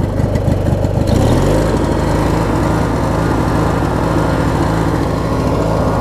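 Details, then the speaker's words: Craftsman opposed-twin riding mower after a new ignition switch and battery strap: it starts right up and settles into a smooth, even idle with a steady low hum and no misses, surging or knocking. "Starts right up now, which is great. And it'll idle down pretty good"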